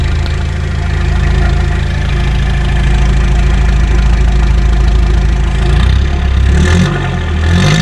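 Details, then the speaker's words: Restored Toyota Hilux (1992–2001 generation) "Garbosa" diesel, first listen after the full engine restoration: a deep, steady, even idle clatter with no knocks or misses, settling smoothly near the end. Normal idle. "Muita melodia, né, moçada? É muita melodia."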